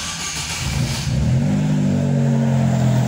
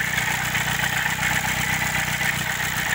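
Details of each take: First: Chevrolet Celta, engine somewhat cold, after water pump replacement: settles then revs up smoothly and holds, with no metallic rattle or whine left. Noise gone; normal cold start and revving. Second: Chevrolet Celta at idle with a recently started noise: a continuous high metallic scraping hiss over the engine that does not pulse with firing; owner thinks it is the rusty, worn water pump grinding metal on metal.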